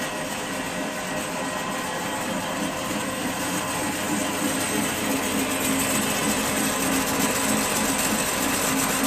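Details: Restored 32-inch Maschinenbau Scholz bandsaw (about 900 kg cast iron), slowed to about 3,600–3,700 surface feet per minute; even, steady running hum with a light regular rhythm, no knocking or scraping, running smoothly.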